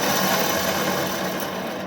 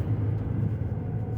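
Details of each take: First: Truck with rumbling while driving, loudest on the driver's side, hub turned by hand: a rough, raspy grinding from the worn wheel bearing; the new bearing turns quietly with more resistance. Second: Car driving around 35 after a wheel bearing repair: only steady low road rumble and slight outside noise, with no growl or rumble from the wheel bearing that had been heard at the rear before.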